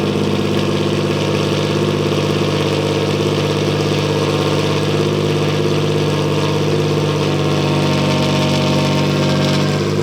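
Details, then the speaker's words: Nissan VQ V6 with essentially straight-piped exhaust: loud, raw, blatty idle with steady rapid pulse and deep drone, no muffling. "All right, guys, so the car is on the ground and we're about to turn it on and cringe at how bad it sounds because it's essentially a straight pipe VQ."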